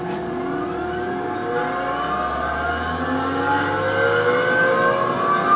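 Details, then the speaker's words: ABB vacuum pumping module just started, with the booster and oil trap on top and the booster cutting in only at 5 torr: smooth even hum rising as the pump spins up, no knocks or grinding; normal running. "So the vacuum pump's running now. We can go ahead and turn the booster to the auto position, and the booster won't actually come on until the vacuum pulls down to 5 torr."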